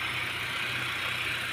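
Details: 2004 Honda Jazz GD, manual, never crashed, all original; steady, even idle with a soft hiss on top, no knocks or misses. Healthy engine ticking over. Normal idle.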